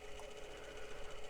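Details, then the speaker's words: 1980 Sharp GF-508 (GF-9696) boombox tape deck after new belts and rubber rollers, on a 15 V supply in fast forward: quiet, steady hum with no wobble or grinding. Motor running normally. "we've got run in the motor and we've got power now"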